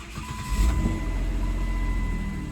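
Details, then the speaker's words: 2010 Jeep Wrangler, which clicked several times before starting when cold after sitting overnight, after testing relays and cleaning dirty relay pins: brief crank, starts right away into steady idle, no clicking. Actual fault later found to be a loose negative battery terminal. "It seemed to start right away."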